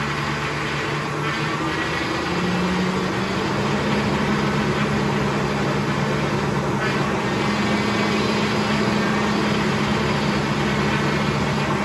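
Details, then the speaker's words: 5.4 L engine after a major repair, idling; a steady power steering pump whine from low, aerated fluid, bled by turning the wheel lock to lock. "we're going to take another look at our power steering here i'm sure it's low that's what the wine is you don't want to just let it wine and wine and wine"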